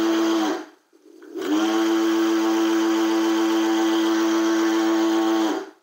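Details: Segway Ninebot G30P kick scooter in sport mode at full throttle, rear lifted off the ground: a steady high electric whine with a hard buzzing edge from the rear hub motor, broken for 2.5 months; the motor was later replaced.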